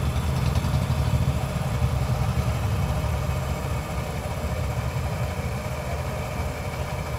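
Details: TVS Jupiter BS6 scooter during clutch work for a vibration complaint: engine runs evenly under light throttle, CVT clutch takes up smoothly with no shudder or rattle.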